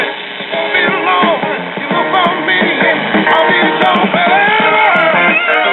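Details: Repaired 1965-model-year Zenith M860W four-transistor AC-operated AM table radio, with components dated mid-1964, plays music and singing clearly with the muffled AM top end and no hum, crackle or fading. After repair, it works normally.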